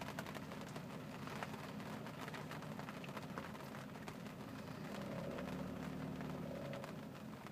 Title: Saab 900 turbo rough idle.